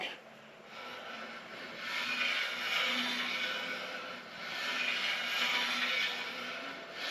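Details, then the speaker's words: Ridge reamer in a worn engine's cylinder bore: a dry, rasping scrape swells and fades with each turn of the cutter as the blade bites into the cylinder ridge, leaving a gray line at its bottom. "going so I think you can hear that we are now cutting into the uh into the ridge"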